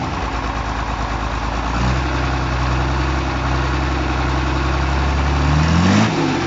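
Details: Diesel engine after replacing the long-neck injection pump (A700) and bleeding fuel: settles into a steady, even idle with no pump noise; revs dip near the end as the too-high idle speed is turned down.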